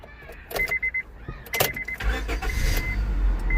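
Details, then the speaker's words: 2004 Honda Civic with multiple-cylinder misfire code, after new spark plugs installed: cranks briefly, starts smoothly and settles into even idle with no stumble. "bet started that real smooth no problem there we go"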